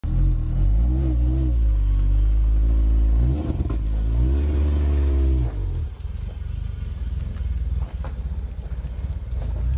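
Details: Renault Clio 3 RS (Ange et Démon edition) after fitting a GT Performance stainless exhaust line: deep revving drone, then buzzy rattle fluttering about four times per second as revs fall; owner suspects exhaust leak at front, pre-catalyst found faulty.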